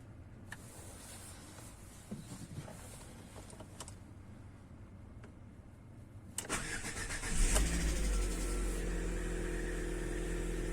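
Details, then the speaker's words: Lada Vesta with only 1,000 km, cold start at −10 °C: a brief light hydraulic-lifter ticking for two or three seconds fades into a steady idle; it used about 100 g of oil in that distance. "привет всем ребята сегодня хочу рассказать послушать вернее как стучат гидрики на холодную"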